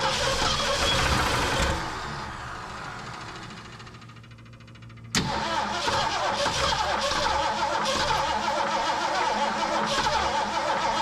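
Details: Long-parked old carbureted engine, primed with gas: long cranking fades, then catches and runs with a quick steady tick about four per second; owner hopes belt, fears main bearing, suspects old gas; carb to be cleaned.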